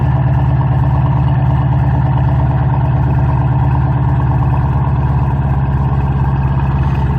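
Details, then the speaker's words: 2005-2010 Ford Mustang 4.6L 3-valve V8 after a throttle body cleaning, cooling system just refilled: fired right up without smoke into a deep, even idle rumble, no misses or stumbles; normal idle. "let's go ahead and fire it up it's normal if it gets pissed off and idle's rough and doesn't want to run that's fine and it actually fired right up sometimes it'll smoke but it didn't"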